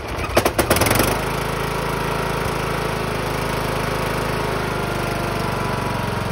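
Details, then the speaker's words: Engine started with the hood off: a few heavy thumps as it fires, then a shaky, rattling run. The engine is not shot; it is loose on its four bottom mounting bolts and moves front to back. "go so as you hear that that doesn't sound good to some people it sounds like the engine's completely shot but it's not the engine is just loose"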